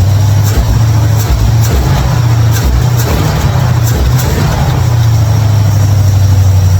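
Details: 1955 Chevrolet Bel Air, carbureted, running after ignition bypass and carburetor mixture/air screw adjustment: steady, even low rumble with no misses or surging; idles much better than before, a normal idle.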